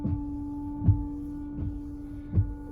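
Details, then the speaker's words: Ford Flex windshield washer, reservoir filled to the top: a steady electric hum with soft thumps about every three quarters of a second as the wipers move. The washer pump runs but no fluid sprays; the cause is not yet confirmed. "can see the windshield wipers go but there's no fluid coming out but you can hear that the pumps working so we're gonna go check that first"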